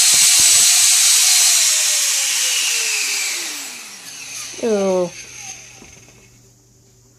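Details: Chang Sun 50mm EDF with Mantis 45A ESC on a bench test before going into a mini Raptor; started slow and throttled up, held from behind at the braces. Loud high fan roar winds down smoothly, then ESC chirps, no rubbing or rattle; good to go.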